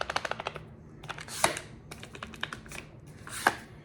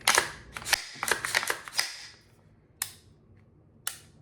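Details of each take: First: Daniel Defense PCC carbine shaken by hand: quick burst of light dry clacks then single clicks from the loose pistol brace; upper-to-lower fit is solid, the rattle is the brace. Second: Daniel Defense PCC pistol, 8.3-inch barrel, with Rise Armament PCC trigger (about 3.5 lb, replacing an 8.5 lb mil-spec) dry-fired: several crisp, even clicks with quick resets; trigger breaks and resets properly.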